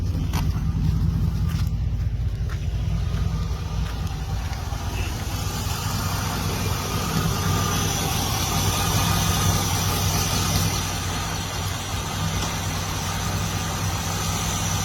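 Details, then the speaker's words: 2005 Chevy Silverado V8, nearly 320,000 miles, never opened, about 500 miles after a second TriboTEX engine and transmission treatment; steady, even low idle rumble with no knocks or ticks, owner finds it remarkably quieter. "And I think it's remarkably quieter. Runs better, has more pickup. Doing pretty good."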